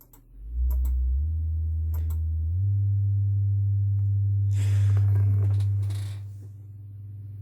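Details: Celestion Ditton 33 speaker after crossover rebuild and rewiring: clean steady low test tone stepping up in pitch with no buzz or scraping; woofer healthy, earlier rub-like sound likely loose connections, not voice coil rub.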